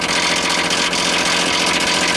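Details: AC/heat pump outdoor unit in heat mode in cold weather, sited under a roof drip edge: dripping water freezes into icicles in the fan area, giving a loud rapid scraping rattle as the spinning blades strike ice.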